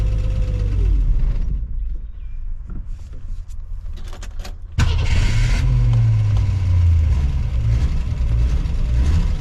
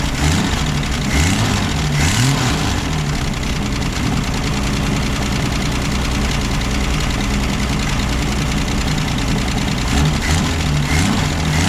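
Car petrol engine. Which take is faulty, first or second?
second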